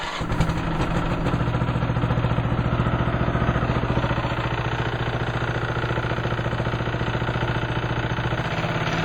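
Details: Old Craftsman lawn tractor in neutral, throttle low: small single starts and settles to low idle with a regular tapping knock in time with firing; something internal on one side, owner suspects valves or valve clearance, plans to check head.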